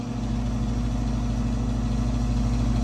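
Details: Garage gas unit heater running with burners lit: steady low hum with buzzy flutter about three pulses a second; vibrating noise, cause unconfirmed. Tech suspects louvers or a loose panel needing tightening; primary air adjustment seemed to change the noise.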